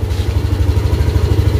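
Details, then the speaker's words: Yamaha Aerox with MIL light staying on, started and idling; uneven stumbling idle (brebet) that seems fine when throttle is opened; caused by a broken coolant temperature sensor wire near the radiator. "Dengan kondisi lampu mil menyala, ini motor berbet. Jadi tidak bisa tensioner, nunggunya lama. Kita coba aja. Kita starter. Seperti itu, dia berbet."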